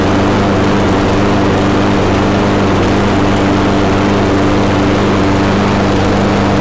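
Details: Briggs & Stratton Quantum mower engine after final governor adjustment, close-up mic: steady, even high-speed drone holding one pitch with a hint of spitting; governed speed correct, carburetor needs a little tuning.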